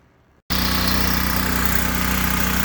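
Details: Ryobi RY903600 212cc 3600 W generator after carb kit, tune-up and oil change (about a quart of 10W-30): small single-cylinder starts straight up, settles into smooth, steady, even run with no misses; normal running.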